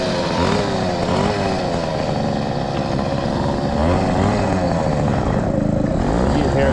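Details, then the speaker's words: Brand-new 100cc two-stroke motorized bike engine during break-in riding; buzz stays rough, with pitch sagging and struggling to climb under load as it bogs; owner believes it runs lean since it runs better with partial choke. "way on the motor it bogs down it's definitely lean because it runs better with a little bit of soap"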